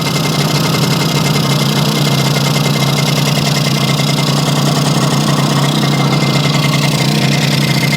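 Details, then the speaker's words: Yamaha YL2C 100 Trailmaster two-stroke after reassembly: a busy idle with a fast, irregular burble of about three beats a second and a little smoke runs rich; the owner plans to slow the oil pump and drain the premix, and it settles slightly as the mixture is leaned. "Yeah, we're going to have to slow the oil down probably, but I probably need to get the premix out of it."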